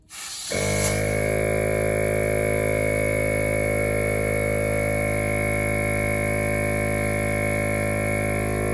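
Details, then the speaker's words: ARB compressor that had surged, blown a fuse and stopped, working again, air locker plugged back in: motor spins up in half a second to steady even drone, constant pitch, no knocks; running normally, cause unknown. "So compressor's turned on, it sounds normal to me."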